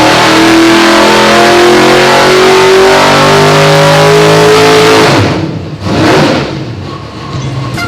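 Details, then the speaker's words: 632 big-block V8 nitrous dyno pull, conservatively tuned with an extra 5–6 degrees of timing pulled and heavy fuel. It climbs hard, then the note sags and breaks up as the nitrous activates; a rich stumble. "What we have here is it did kind of stumble on its face really fat right whenever the nitrous came on, which I was being extremely conservative, pulling an extra 5 or 6 degrees from where we really should end up, and throwing a lot of fuel at it, being really conservative,"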